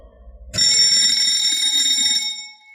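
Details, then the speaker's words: Electric-driven fire pump controller being switched back on: a shrill, steady high-pitched alarm sounds because the emergency isolating switch is still in the off (open) position. "the alarm's going to go off saying that your emergency uh isolating switch is in the off position"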